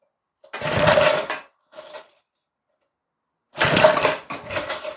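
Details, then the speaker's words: McLane edger with a carb fault later fixed by diaphragm replacement: on choke it sputters in two short firing bursts that catch and die. It seems to run either full blast or not at all, so a sticking throttle linkage is suspected. "ओह, उसने लगभग वहां से उड़ान भरी।"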